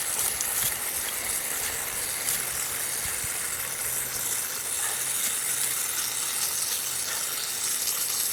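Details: Drip irrigation line in a yard: steady, airy, close, constant hiss with no rhythm from pressurised water escaping a broken line. Water leak hiss.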